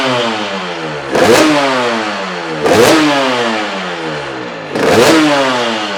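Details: Honda RS 125 GP two-stroke started after 20 years, with the carburetor cleaned and a new exhaust fitted; three sharp throttle blips crackle up and fall cleanly to a buzzy idle, so it is revving normally.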